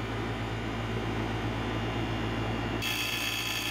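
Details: Residential heat pump reversing valve solenoid coil: rapid ragged buzzing chatter that changes abruptly as the coil pulls in and drops out on low voltage; a shorted thermostat was not producing proper control voltage (about 3 volts instead of 23–25 volts).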